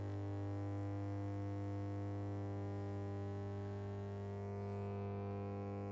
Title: Verstärker brummt: NAIM NAC152 Preamp + NAP200 kombinierter Verstärker (new) with hums-Noise…